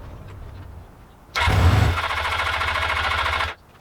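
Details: Old Suzuki GS500 twin, started only by covering the carb intake by hand: it catches abruptly, revs, hunts unevenly for two seconds and cuts out. Poor idle.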